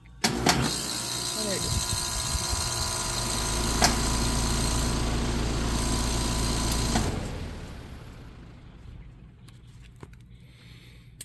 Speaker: It goes through these cycles and then it does this pop, pop, pop, pop sometimes.